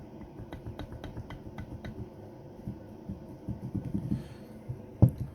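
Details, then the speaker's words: 2007 Renault Laguna II, wheel off: worn steering tie rod end rocked by hand gives sharp, dry, irregular clicks from play; source of suspension knock, to be replaced with FAG ends. "То же самое, всё уже расшаталось . Именно там раздался стук."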